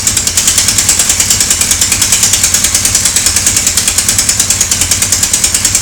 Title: Sonderbare Motorgeräusche.AVI